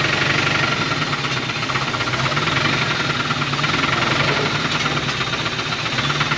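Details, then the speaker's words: 1980 Dodge truck with a 360 V8 and four-barrel Thermoquad, sitting about 18 years, first start on fresh gas: rough, loud, smoking idle with a rapid, hard, regular knock, a known rod knock. "her family has success she's smoking and knocking that's perfect good job"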